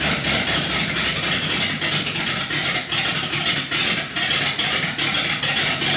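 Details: 318 V8 built to idle rough: raised compression with Keith Black 6cc domed pistons and a Comp Cams cam; choppy, loping idle with uneven lumpy pulses around two a second and crisp exhaust bark; intentional lopey cammed idle.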